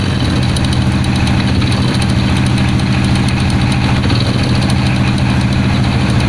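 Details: Honda Win single-cylinder motorcycle after replacing worn, broken rubber damper cushion that caused a knocking "kotok-otok" noise and refitting flywheel; steady even idle beat, no clunking from bottom end; normal idle.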